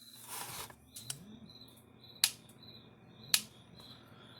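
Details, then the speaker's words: Gallagher The Billy M800 electric fence energizer after new capacitor fitted (reads 40-something, good), which slowed a too-fast pulse; sharp even ticks a bit over a second apart; normal pulse rate. "That sounds more like it."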